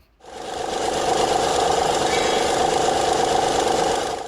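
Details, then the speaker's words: 2006 Honda Legend KB1 with J35 V6 engine rattle before a timing belt and water pump kit replacement: a busy, chattering rattle about three to four times a second over a steady run, possibly from the timing belt area. "so what you're about to hear is a problem that's very common with these v6s uh and today we're going to fix it"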